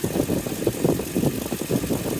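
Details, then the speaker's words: 2003 Toyota Tundra 4.7 2UZ-FE V8 after timing belt and water pump replacement, idling: rhythmic wah-wah pulsing about four times a second over the idle; owner suspects a pulley, unconfirmed and possibly unrelated; heater not blowing. "Is this what they're supposed to sound like? I've never had one of these, so I don't know. Definitely like a little bit of a weird sound. It's almost like a some like a pulley or something like whoa whoa whoa whoa whoa."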